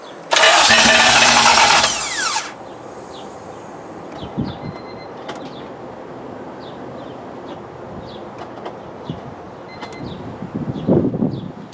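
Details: K20-swapped Honda EK hatch, first attempt to fire it after oil priming: engine cranks, catches briefly for a couple of seconds, then dies; stalls after start, and the helper says everything has to relearn.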